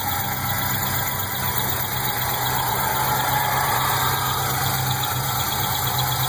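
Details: LS1 V8 Pontiac GTO idling steadily with a light quick chirp over the low rumble, coming from the top end, most prominent directly on top of the intake manifold.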